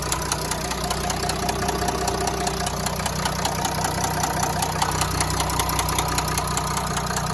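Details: Renault V9X 3.0 dCi diesel at idle: sharp regular knock about two and a half per second from a worn connecting rod.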